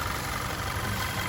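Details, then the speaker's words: Audi Q5 with a replacement 2.0T TFSI engine, after a few miles of driving (owner notes lifters take 10–15 minutes to build): steady, even idle with a smooth low hum and light valvetrain patter, no knocks or misses. Healthy idle. "All right, this is how it's supposed to sound. This is the sound. I'm gonna be quiet and let you hear it. That's the proper Audi sound."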